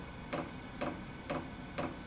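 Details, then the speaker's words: Chinese diesel air heater on first test: sharp, even ticks about twice a second over a faint hum as the fuel dosing pump clicks, normally starting about 1.5 minutes after switch-on. "Then after about 1.5 minutes, the fuel pump, which you can hear clicking, that'll start."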